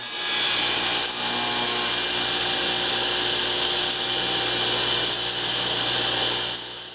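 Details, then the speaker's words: Delta 36-725T2 belt-driven table saw after the zero-clearance insert was sanded to stop the blade rubbing. Steady high hiss and whir of the evenly spinning blade with no grating; running clean. "To remedy, I just used a little sandpaper to remove a hair more, and I think we're all set."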